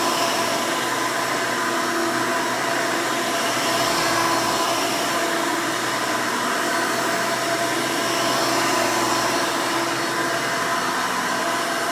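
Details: 1992 Hoover Elite II Total System Performance 650 U4689-910 upright vacuum, motor untouched since purchase: loud, steady high whoosh with even motor hum, no rattles or pitch wobble; owner says it runs nice and smooth, normal running.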